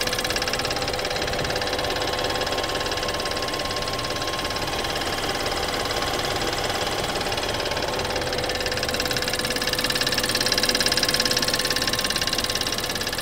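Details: BMW 320i F30 at startup: fast even metallic ticking over steady idle, light clatter; high-pressure fuel pump suspected, not confirmed.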